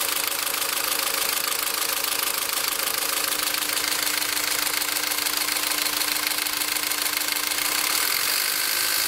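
A fast, light, fairly regular tick of about 200 per minute rides over a thin idle with a faint steady tone; source unclear.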